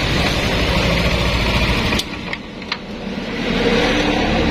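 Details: Yamaha Nmax scooter after repair of a wiring fault that caused crank-no-start: engine note dips, then settles into a steady, even idle that builds back smoothly with no stumbling; normal idle.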